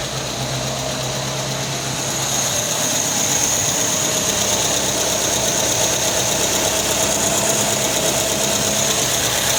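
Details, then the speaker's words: Del Rey CHT after the timing chain cover work was refitted: the engine runs steadily with a hissy top end and the timing chain rattle seems to have stopped, though something may still knock faintly underneath. "Ó, esse barulho aí é o do motor do carro mesmo, viu? Viu a parte de baixo batendo alguma coisa, mas a corrente de comando acabou. Parece que parou."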